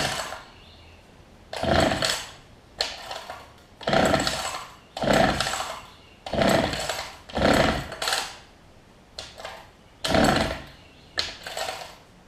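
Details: Older Homelite two-stroke hedge trimmer after new fuel lines and primer bulb, 40:1 fuel mix: snaps up to a high buzz about every second and drops back to idle; runs and revs cleanly.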